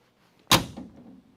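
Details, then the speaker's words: Normal car door close on a crew-cab Charger build, driver's side rear door: a single crisp thump of the latch hitting the striker, latching cleanly with no extra clunk, unlike the front door needing reshimming. "That's the noise you want to hear. Just the sound of the latch going. That's all you want to hear. That that latching system hitting the striker."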